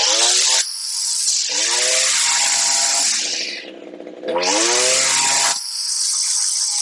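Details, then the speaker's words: Older Echo string trimmer, two-stroke, new HiPA replacement carburetor after tuning: snaps up to a high scream on each full-throttle blast, then drops cleanly back to idle without stalling; carburetor set right. "put it through a few full throttle blasts make sure when you let off it doesn't die when it goes back to idle"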